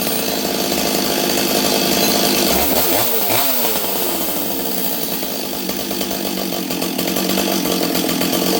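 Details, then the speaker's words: Rebuilt Stihl 026 chainsaw cutting wood at full revs: high buzzy note wavering with brief dip mid-cut; still running rough, cause unknown, carburetor or fuel line suspected. "now I'm going to tell you guys what I did to make it run it's still not perfect something's up with this saw"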